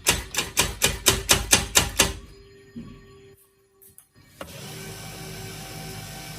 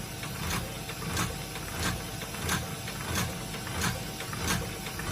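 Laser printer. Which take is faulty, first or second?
second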